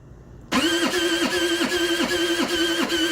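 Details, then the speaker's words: TaoTao 50cc scooter, bought not running: rough rhythmic electric-start cranking at about two and a half beats per second with harsh grinding whine, not turning over properly; misaligned or faulty starter or kickstarter suspected, not confirmed. "it definitely sounds as if this is not turning over appropriately something in here it definitely is coming from in here it sounds really bad"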